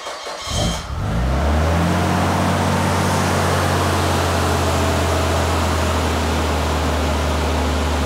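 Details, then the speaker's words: 1998 Nissan Skyline R34 GT-R first start after service work including plug replacement, in a closed garage. Brief crank, then a smooth, even cold-start idle held high with a steady low hum; engine sounds healthy. "all right that sounds pretty damn smooth all right that's uh obviously on cold start so it's idling pretty high"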